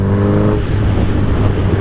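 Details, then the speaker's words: 2008 Suzuki GSX-R 1000 with velocity stacks, riding in sixth gear: steady low drone breaks into uneven choppy stumble at low rpm under load; stutter, owner suspects the clutch or transmission. "all that stuttering there you go now you guys can see what I'm talking about and it does it at the low RPMs"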